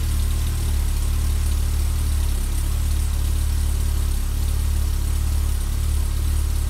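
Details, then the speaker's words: 1984 BMW E30 318i, M10 four-cylinder, 65,000 miles, new distributor, cap, rotor, wires and plugs: steady low idle after cold start, then ignition control module clicks about 10 seconds in and idle drops, slightly uneven. "Then all of a sudden, about 10 seconds in, I heard a click come from the engine bay, which came from the ignition control module, and the idle dropped down, got a little bit messier."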